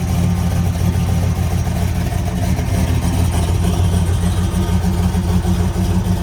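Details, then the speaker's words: 429 Ford big block V8 with Holley Sniper EFI, Hooker Super Competition headers, MSD parts; deep heavy rumble with quick snappy, touchy revs and a slightly uneven lumpy idle; otherwise healthy. "wow that is snappy it's extremely touchy wow it's definitely got a little bit of a lumpiness to it too"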